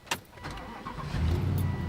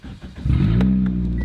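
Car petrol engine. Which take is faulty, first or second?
second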